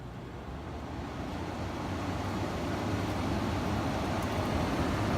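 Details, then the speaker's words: 1967 Sears Coldspot 6,500 BTU window air conditioner (Whirlpool-built), first fired up, fan only switched from low to high: steady airy rush over low rumble, running smoothly. "I'm gonna fire it up. The fan first. We'll go to low, high fan."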